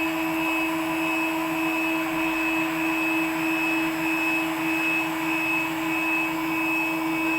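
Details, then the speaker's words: WorkBee CNC router with upgraded TB6600 4-axis parallel-port driver board under Mach3, machine home pressed, axes creeping slowly to limit switches, Mach3 then reads 0,0,0. Steady stepper hum with fixed whine, smooth and even; normal homing cycle. "but if i um if i press the machine home button might take away i don't get the machine moving too fast"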